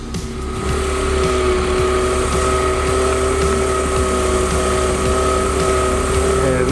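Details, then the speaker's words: Salvage-auction BMW drift build, idling after its first drive: a steady, loud, high whine from a badly failing power steering pump. The power steering reservoir is also shot. "don't you hear that whining yeah that one is for the power stand and it's really bad too"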